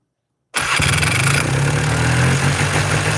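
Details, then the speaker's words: Two-stroke Polaris 400L ATV with new piston and replaced parts, carburetor needing adjustment; fires up into a fast, steady buzz that never drops, still idling way too high though the throttle cable is fully down. "Yeah, still idling way too high."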